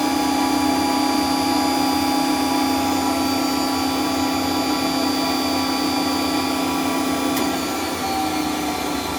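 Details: Centurion tank main generator running while warming up: steady, even hum with a clean mid-pitched tone and higher whine, no knocks or surging; normal generator running.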